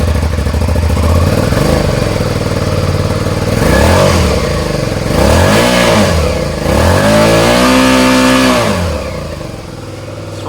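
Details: Suzuki SV650 twin, cold start without choke, open exhaust, blipped repeatedly: loud, revs hang and fall back slowly after each blip; sticking throttle suspected, not confirmed.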